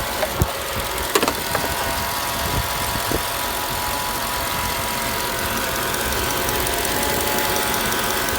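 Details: Mercedes E55 AMG V8 at idle: a thin, steady whine sits above the calm idle, with a few knocks at the start. The source is unclear, and the owner wonders whether it is the harmonic balancer.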